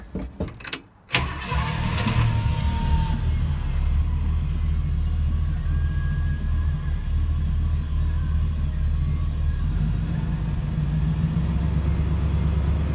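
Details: 1966 Buick Wildcat, original low-mileage 401 nailhead V8, started briefly during an oil change with fresh 10W30 to fill the filter: short crank, quick catch, then deep, smooth, even idle without knocks or ticks; oil pressure good.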